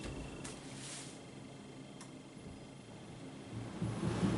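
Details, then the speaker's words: AEG 6000 series T6DBG821N 8kg condenser tumble dryer running on synthetics, extra dry. Quiet, steady low hum with a soft drum rumble and no knocks, scrapes or squeals: not the quietest but not overly noisy, a normal dryer running. "So you can hear it. It's not the quietest of machines, I must admit. It's not the quietest, but it's not overly noisy."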